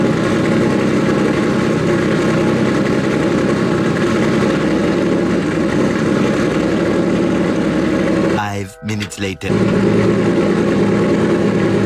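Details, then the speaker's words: Nissan S15 after fixing its problem: fires right up with no hesitation, steady even idle with a brief break in the sound; owner hears a couple of exhaust leaks under the car; earlier heavy smoke now mostly gone. "well yeah guys there she is fires right up no hesitation turns on like OEM"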